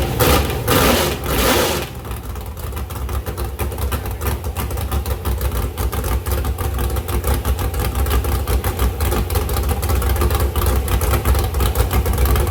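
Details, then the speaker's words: Ford 351 Cleveland at 354 ci, 615 hp, stock iron 4V heads, APD 1050 cfm carburettor, crank trigger, on a run stand after sitting 8 years: it cranks and catches quickly, then settles into a lumpy, loud but steady open-header idle with no knocks or misses. "But man, she fired up good. Those headers sound bad. 615 horsepower, 354 cubic inch all stock iron 4V heads."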